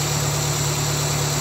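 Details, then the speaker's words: Suzuki Swift idling with RPM fluctuating between about 1300 and 1100, low steady hum that shakes and dips with uneven firing and vibration; throttle body suspected dirty with carbon, to be cleaned. "अब ऐसा लगता है कि यह कंपन इससे ऐसा महसूस होता है कुछ गुम।"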